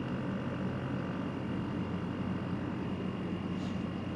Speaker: yeah it's pretty quiet so far you kind of hear it humming that's the compressor you're gonna hear